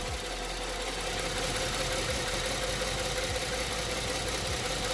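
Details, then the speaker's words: 2008 Ford Edge 3.5L V6, 122,000 miles, flashing check-engine light, P0203/P0303, running lean: warm idle with loping beat and recurring stumble about three times a second, cylinder 3 misfiring while what is believed to be its injector circuit is probed; cause not confirmed. "this is hooked up to the number three injected I believe and we are getting a signal as it's misfiring"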